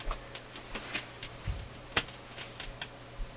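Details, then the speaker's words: Philips console stereo tube receiver, phono or auxiliary input at full volume: irregular sharp pops and crackles over a faint mains hum from both speakers, mostly one channel; source of the popping not yet found. "u guys can hear this over the video but there is still crackling going on let's give it full full power here who scary stuff comes the cracklin"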